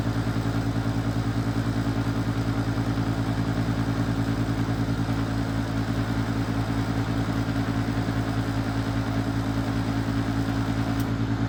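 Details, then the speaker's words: Used Master radiant heater on diesel that won't light, no igniter heard, diesel smell suggesting the pump may work: steady fan drone with even pulsing chug about 2.5 per second, no burner roar; blower runs but no ignition. "okay this ain't working it have to have some work done"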